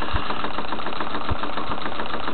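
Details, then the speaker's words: Homemade pulse motor running, back-EMF capacitor near 60 V: steady mechanical running with periodic low thumps; a slightly bent shaft makes the bearing wobble and knock, slowing the motor; to be fixed with a spare rod. "and just make it out on the screen right that because i slightly bent my shaft you can see that bearing there is wiggling up and down a little bit so that's going to be slowing it down a touch"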